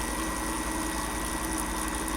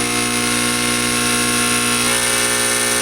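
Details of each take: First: Fogger 3 pump after dirty residue came out, with fluid coming through the line. A steady, even buzzing hum with a constant low pulse and no knocking, sputter or strain; the pump is running healthy. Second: Fog machine pump running with no liquid drawn up the tube, vibrating hard. A loud, steady, harsh electric buzz at constant pitch with no flow sound, a pump straining against a clog.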